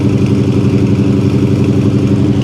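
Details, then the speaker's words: Classic car idling after sitting a while: smooth, even purr with a steady beat and no knocks or stumbles; healthy idle. "You never cease to amaze me, old girl. Listen to this thing purr. Listen to that."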